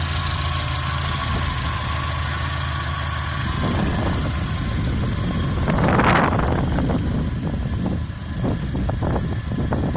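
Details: Volvo Amazon B20 petrol engine idles with a light, irregular clatter or knock, then revs once briefly; owner unsure whether it is valve noise; cause unconfirmed.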